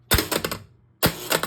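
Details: Gusher electromechanical pinball after cleaning and adjusting switches, slingshots and flippers: two sharp hard thwacks a second apart, each with a quick rattling tail; kicker solenoids firing crisp and strong.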